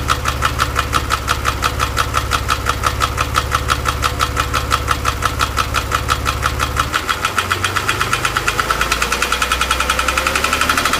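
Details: Porsche 997, warm engine held around 2000 rpm: fast, steady ticking rides over the running engine; the owner is asking for ideas, and the source of the ticking noise is unknown.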